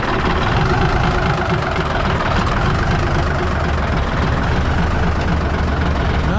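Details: 1965 Kenworth truck 546 diesel after a new 12V starter, removing the jake brakes and running the overhead, started with the compression release: steady, even low idle rumble, no knock, no white smoke; healthy.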